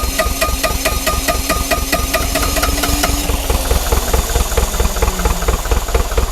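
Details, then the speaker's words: Neglected, frozen-cold Bobcat T595 diesel skid steer after warming glow plugs: engine chugs unevenly with heavy knocks and gaps, smoking and running on only one to three cylinders as it slowly comes to life. "She's chugging, but it's smoking. We really shouldn't see any smoke coming out of it, but it's only running on 1 or 2 cylinders at the moment. Maybe 3."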